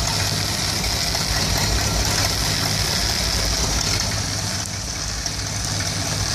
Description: Issue with 1975 Dodge B200 Tradesman 200 Mopar 360 5.9L small block 2bbl rough idling and stalling when warmed up. Just changed ignition coil and, although it didn't stall, you can see it still rough.